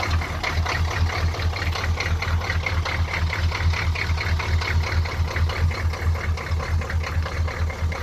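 Cold diesel idling with a lumpy, pulsing thump about twice a second over steady clatter; rough, uneven running.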